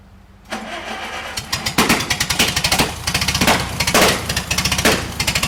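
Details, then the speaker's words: Bantam T35 crane with gas Le Roi D176 four-cylinder, long unused: runs lumpy and uneven with popping and dropped beats, a misfire; owner suspects the magneto. "all right so i screwed up reeving the hoist like i said you can hear that engine doesn't want to run right and i i swear it's the magneto"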